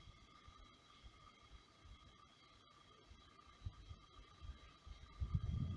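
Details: Brand-new Xiaomi Air Purifier 2S/3H at low fan speeds, including night mode: a quiet, steady high-pitched whine with several fixed tones over a faint low rumble. Extraneous fan motor noise, cause unclear.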